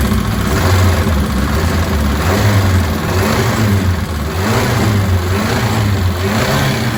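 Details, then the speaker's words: Ford Cortina turbo build, Pinto engine, first start: steady idle with a thin, constant high whistle; leaking inlet manifold gasket confirmed when brake cleaner sprayed there raised the revs. Intake manifold gasket vacuum leak. "the whistling you could hear um which well you clearly hear it um it was actually coming from the inlet manifold the gasket there was leaking"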